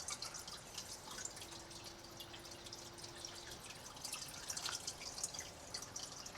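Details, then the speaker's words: Quiet reef aquarium sump drain with filter sock silencers fitted, about 50 dB peaking at 51 versus 53 without silencers; soft even trickle and light drips, no gurgling, normal quiet flow. "and this is definitely quieter as it drops down under 50 D sometimes hitting 51 but I think that is the max definitely quieter than without the silencer"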